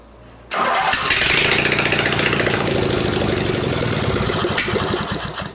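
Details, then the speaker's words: Mastercraft (MTD) 46" riding mower with a replacement engine, first run with no exhaust fitted: a loud unmuffled bark, then a steady even beat with no misses or knocks until it runs out of gas; runs okay. "and then it runs out of gas wow that's neat runs seems to run okay"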